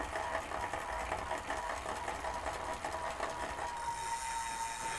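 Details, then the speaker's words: Wahoo KICKR Core trainer with a rental bike, coasting: quick even ticking about two or three per second over a light flywheel whir, the normal freehub clicking. "is a free hub that you're hearing now so that's that louder piece that we talked about a moment ago"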